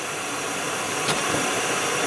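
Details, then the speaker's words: Arcimoto FUV electric vehicle driving at 2°F (-17°C) right after charging at home: steady airy hiss with thin high whine, recurring cold-weather noise that likely fades when slowing; cause unexplained. "it is two degrees Fahrenheit which is negative 17 Celsius and there's that cold weather sound again"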